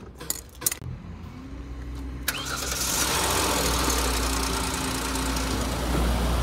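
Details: 2012 Hyundai Azera starting after battery replacement with a non-specific, temporary battery: short crank catches quickly and settles into an even, steady idle with no misses or knocks; starts normally.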